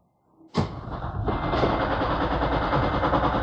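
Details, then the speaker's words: Toyota Prius engine runs rough and uneven with a stumbling beat of about three per second; cylinders 1 and 2 injectors have voltage but no activation, so those cylinders misfire. "Ah, tiene voltaje, pero no hay activación. Miren, completamente no hay activación. todo el tiempo no hay activación para este cilindro. El uno y el dos no están trabajando ahorita."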